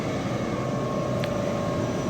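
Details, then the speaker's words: Industrial air compressor after changing the oil, oil filters, air filters and oil separator; valve open. Steady even roar with constant low hum, no knocks, surges or squeals; running normally. "நம்ம எல்லாமே ஃபுல்லாமே filter எல்லாமே change பண்ணியிருக்கோம், oil change பண்ணியிருக்கோம், oil செப்பரேட்டும் change பண்ணியிருக்கோம். அதனால் machine இப்போ நல்லா ஒர்க் ஆகிட்டுருக்கு கம்ப்ரஸரு."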